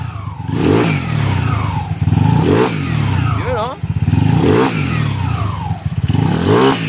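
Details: 200cc motorcycle engine on break-in after upgrading from 59 stock to a 63 setup, previously noisy with crank bearing or magneto suspected: light blips up and down from idle, revs rising and falling cleanly with no knock. Now running quietly.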